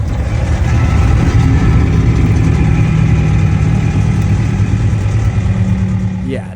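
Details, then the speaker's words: Converted school bus heard only when letting off the gas: heavy steady low rumble with rough metal-on-metal grinding and felt vibration while coasting; source not pinned down; grinding noise on deceleration. "something is wrong with the bus but we're not exactly sure what it is we started hearing a loud noise and feeling a vibration that felt like grinding"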